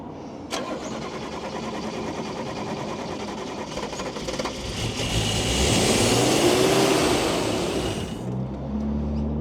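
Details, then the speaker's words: Toyota Cressida MX32 from the wreckers, cranked on starting fluid: steady starter churn at about two hundred beats a minute, then a rough surge as it briefly fires and runs unevenly; fuel delivery problem suspected. "well that's good news we got a fire now we have a fuel delivery issue"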